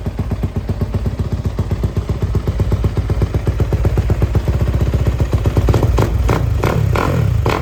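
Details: Yamaha YZ250F first start after removing loose bolts from the engine, with oil flush and distilled water in the radiator: crisp, regular single-cylinder firing that revs up smoothly, no clatter or knocking; normal running.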